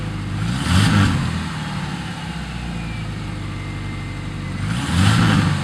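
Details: 1997 Subaru Outback with UEL headers and stock exhaust downstream: flat-four idles with a loping, uneven low rumble and no ticking or puffing. Normal boxer idle, no exhaust leak.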